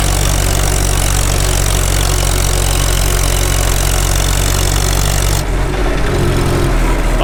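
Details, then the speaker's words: Farmall H tractor after sleeve repair, at operating temperature, full throttle in fifth gear pulling uphill; strong, even low drone with no knocks or misses: normal engine under load. "Sounds good. Engine, I mean. We're up to temp. Make her work a little bit. Let's see how it likes fifth back up the hill."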